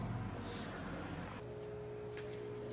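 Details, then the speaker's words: GE top-load washer GTW335ASN0WW, in diagnostic-mode spin test: motor hums steadily with a clear tone, but there is no churning of a turning basket; the basket is not spinning because of a drive-belt problem. "guys I can just tell you from The Sound this basket is not spinning kind of hear it sound like it's something spinning but the basket definitely isn't spinning"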